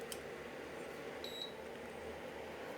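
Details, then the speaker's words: Induction cooker switched on with no suitable vessel: one short faint high beep over room hum; beep means it won't turn on, display shows E0; aluminium and clay pots also fail to start it; no-pan detected beep. "On වෙන්නේ නැහැ. මේ මෙතන මේ ඔය beep එකක් යනවා කියන්නේ on වෙන්නේ නැහැ."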